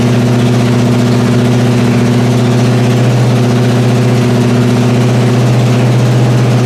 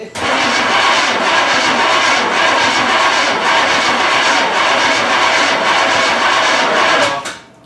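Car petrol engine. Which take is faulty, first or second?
second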